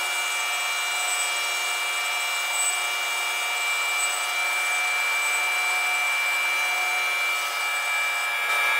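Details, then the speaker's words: A Tormach 1100MX CNC mill boring holes in 6061 aluminum plate for a custom Brembo brake caliper bracket makes a steady high cutting hiss with faint ringing tones. This is slight chatter, barely visible on the part. "got just a touch of chatter you could hear it a little bit can barely see it"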